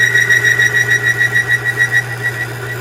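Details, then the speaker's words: Lubricity test machine, surface already galled and bound up after grease, Lube 2000 spray applied; pulsing high squeal about five times a second over steady motor hum: galled metal chattering under load. "I spray it onto what's already been galled up and bound up, and it's already chattering because of all that sound from before."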